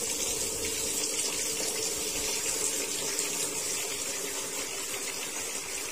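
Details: Sanyo washing machine after repair of a fault where it filled then leaked water out: steady rushing hiss of water into the tub, even, no sputtering or pump strain; filling normally.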